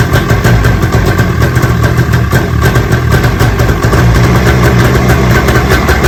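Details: 45th anniversary Polaris 700X SE Deluxe snowmobile, sat a couple of years, started after fresh fuel, plugs refitted, oil and checks: loud, even two-stroke burble holding steady idle with no misses or knocks; normal running.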